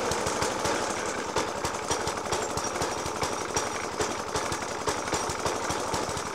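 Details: Suffolk Punch 30S lawnmower (1991 era) with Dellorto FCH 20 carb: rapid, regular heavy bangs hammering over a rough idle, persisting after spark plug change, decoke and carb clean; cause not yet found.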